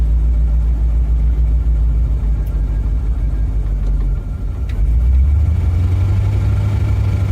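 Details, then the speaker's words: 1956 Chevy small block V8 with suspected rod bearing damage from running out of oil, warming up after sitting a long time. Steady idle with a slightly uneven, lumpy beat and a brief dip. Rough idle. "Running a little rough, but that's definitely to be expected. It's been sitting for a hot minute."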